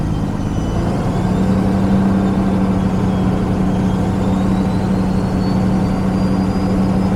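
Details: DAF LF Euro 6 truck after wiring repair to air pressure sensor circuit that caused an air supply system malfunction warning: steady, even, low diesel idle with no misfire, knock or warning noise; fault cleared.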